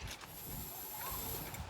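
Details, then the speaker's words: 1988 Ford F150 on a freshly assembled painted frame and cab, wiring and grounds just connected, key turned on: faint steady high whine with light whirring as the two electric fuel pumps, under the floor and in the back, prime normally, the tone changing as they prime. "so when I turned the key we should hear the fuel pump up under the floor and the fuel pump in the back"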